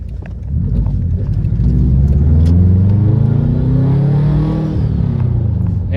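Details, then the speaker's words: Tuned Subaru WRX, just fitted with a Perrin blow-off valve and smoke-tested for intake leaks, pulling under load: smooth rising rumble climbing and falling evenly with no stumble; feels smooth, though a pop remains. "it feels smooth."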